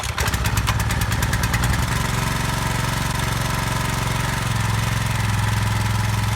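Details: Brand-new Subaru SP-170 5.7 hp single-cylinder engine, first start ever: catches after a few pulls and settles into a steady, even beat with no knocks or misses; normal running.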